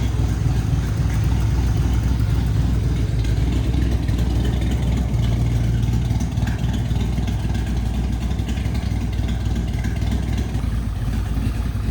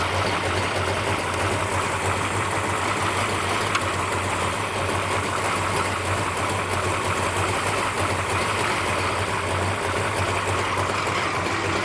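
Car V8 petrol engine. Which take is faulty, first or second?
first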